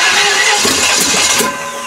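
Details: Chevy 305 small block just swapped into a Ford in place of a 4.6, no fuel tank hooked up: starter spins the engine in quick even pulses but it never catches; crank no start from no fuel supply.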